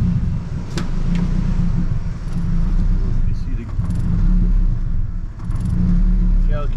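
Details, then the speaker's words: Nissan 240SX KA24DE engine, warming up before compression test: low idle rumble sags and dips every second or two as if about to stall; rough idle, owner checking engine health, cause not yet found. "but like it sounds healthy but it's really like rough like"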